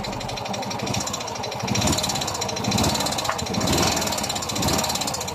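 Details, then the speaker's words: Yamaha Mio i 125 scooter after engine repair for head ticking and piston slap: steady busy idle with an even beat and no heavy knock, engine running smooth like new. "naging successful talaga ang aking pag tunog at ' ba ang laki ng pinakaiba so balik yung tunog ng kanyang makina lang yung tunog talaga na original na parang brand new"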